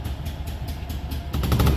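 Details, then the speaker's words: Single-cylinder engine: fast even putter, then revs freely all the way up with crisp throttle response; no blue smoke, only slight black smoke from rich mixture. "got good throttle revs all the way up it's nice that's the way it should be"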